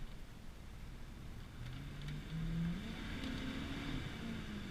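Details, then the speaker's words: 1993 Ford F250 on 235/85 tires, driving: deep low throttle-body sound climbing smoothly in pitch under throttle, no knocks or misses; big V8 pulling healthy. "I mean you could hear that it's just got that killer deep you know throttle body sound of that big"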